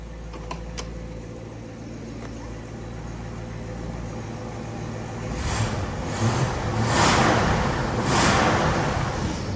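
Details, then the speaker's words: 1963 Buick Riviera, 401 Wildcat 445 V8, automatic: a deep, quiet, even rumble at idle with a few louder swells. There is normal exhaust condensation and what sounds like a slight exhaust leak; otherwise the engine runs well at normal idle. "as you can see it runs good sounds like there's a tiny exhaust Le that's about it"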